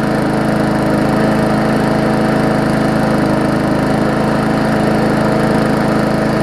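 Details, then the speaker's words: Murray 3.5hp Classic push mower after extensive service, first test run after priming: steady, even single-cylinder drone at constant speed, no misses or surging; smoke clearing, just a little oil in the muffler; running healthy. "and it's starting to clear up now that's good it's a little bit of oil the muffler is all it was"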